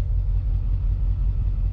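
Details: LS swap with a 5.3L V8 that had suffered random misfires, fixed by a crank relearn: after the relearn it idles with a deep, steady rumble, no skips or stumbles and no misfires returning.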